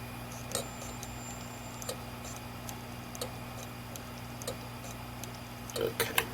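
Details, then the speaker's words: 1TB Western Digital hard drive with failed heads whose sliders were sheared off: a soft click about every 1.3 seconds over a faint spinning hum, quieter than older drives' clacking. Hard drive head clicking. "these are a little quieter than some of the older drives you may have heard or may have seen in some of our other videos where they're just kind of just this loud clacking sound these are a little more subtle"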